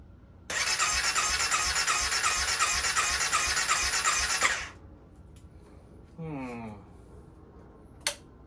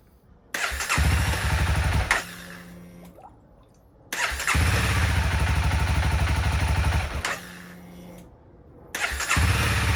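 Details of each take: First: 2016 CBR300R with 1133 miles, parked 7 years with a near-empty tank, on fresh gas with additive and a jump pack: a steady starter whirr for about four seconds with no catch and no pump hum beforehand; no fuel pump cycling heard, and it cranks without starting. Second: 2016 CBR300R with 1133 miles, parked 7 years, started during a coolant top-up: it catches quickly on each crank and settles into a quick, even idle before shut-off; a healthy start, with the battery charging at 15.6 V.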